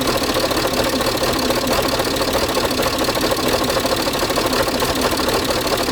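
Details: Peugeot 607 2.7 HDI diesel idling with a rough, uneven scraping clatter over the engine tick; a grinding from the engine bay, cause unclear.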